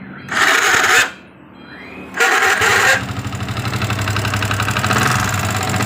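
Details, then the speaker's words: Yamaha Vixion New with a rough-noise complaint, first start before teardown: two harsh, gritty whirring crank bursts, then it catches and idles. The starter sounds dry and dragging; the mechanic names the starter motor as one possible source. "jadi ini ada beberapa kemungkinan yang bunyi hai pertama dari dinamo itu sendiri waktu double elektrik itu dinyalain itu juga bisa bunyi"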